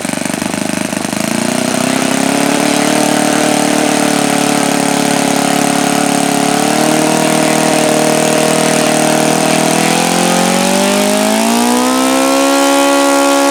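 Small engine buzzes steadily, its tone holding level, then climbing smoothly as it speeds up near the end; running cleanly.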